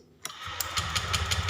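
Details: Honda fuel-injected motorcycle started while an FI manual scanner module checks the ignition-coil ground signal, which blinks when cranking; a click, then it catches within half a second and settles into quick, even firing pulses.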